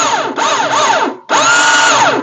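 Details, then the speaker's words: Chinese quad copy of a Suzuki King Quad, with the case cover removed and the starter clutch exposed: two bursts of high electric whine spinning up and coasting down with no cranking; starter clutch pawls slipping, free spinning, needs replacing. "it's just free spinning so we have to go ahead and get the rotor for the generator off"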